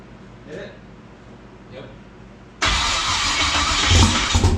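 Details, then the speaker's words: Twin-turbo LS-swapped SN95 Ford Mustang first start: V8 catches and runs lumpy with uneven stumbling beat; cylinder two dead because a part for it was cut. "holy so as you heard she fired up this is the reason number two wasn't running"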